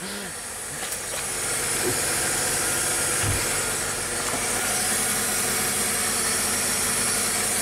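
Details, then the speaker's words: A bottomed-out Mercedes-Benz with air suspension gives a click, then a constant sharp hiss of escaping air while the pump runs to raise it; an air suspension leak. "to pump it up they almost sounds like it's leaking or something yeah this whatever this is I heard it like click and started doing something"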